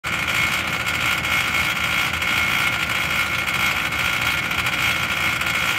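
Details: Mitsubishi Electric Mr. Slim air-conditioner outdoor unit: steady high-pitched whine over the fan's rush, an abnormal noise of unknown cause.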